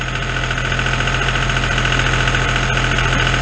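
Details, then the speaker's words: John Deere farm tractor diesel idling just after oil, oil filter and fuel filter change: uneven, lumpy beat around three and a half pulses a second from air in the fuel system, left running until it purges and smooths out. "let it run there until it smooths out. That John Deere is pretty bad to get air in it. It'll run rougher than a cob for a little bit."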